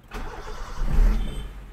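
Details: Petrol 4-cylinder car started right after throttle body and intake cleaning and refitting, air filter not yet fitted: catches quickly, swells to a brief rev, then settles into a smooth steady idle with no stumble; rpm feels strong and stable.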